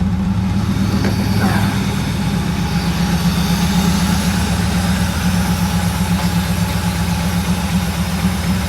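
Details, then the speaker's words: Euro Mercedes 6.9, cold engine after sitting overnight, muffler cut off: loud, raw, throaty idle with steady rapid exhaust pulse and deep rumble; runs smooth, could use a tune-up and fuel system cleaning. "It's really loud because the muffler, for some reason, has been cut off. I'll also rev it up for you so you can hear it."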